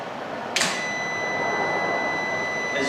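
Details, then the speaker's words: Voltlogic SmartStorage 3 kW 24 V inverter powering a 2000 W fan heater at full output; the grid is switched off and a single sharp relay clunk sounds over the steady heater hum with no load interruption, a normal grid-to-battery changeover. "I'm now going to turn the grid out when you hear that clunk that's the changeover"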